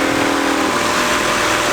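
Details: Honda Civic EK with JDM B20B engine swap, first start: loud, steady idle with an even, busy exhaust note and no knocks, ticks or misses; engine sounds healthy.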